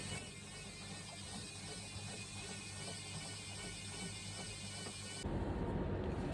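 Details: Front-load washing machine after repair of a drum that would not spin: even, soft mechanical whir with a light regular ticking about three times a second as the drum turns smoothly. Normal drum spin.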